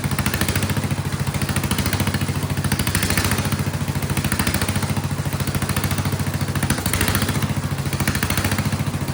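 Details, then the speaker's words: Vintage Kohler flathead generator engine after removing float spring, under load running a shop vac; loud, even thumping about three and a half beats a second, surging seeming to stop under load. Steady running under load. "And then it seems to also, that makes it stop surging, it seems. It is loud though."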